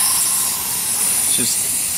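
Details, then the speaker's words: Old Polynesian hot tub after a filter change, gate valves reopened: steady high-pitched hiss of trapped air escaping as the bleed valve is loosened, until water starts flowing; normal air purge. "loosen it until water starts coming out. There we go. Get all that air out of there."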